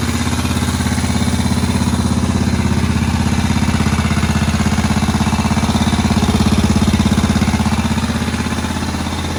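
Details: Moto Guzzi single barn find, first run in about 40 years after cylinder-head work: even, steady beat around 200 per minute, no misses or knocks, ticking over cleanly. Healthy normal idle.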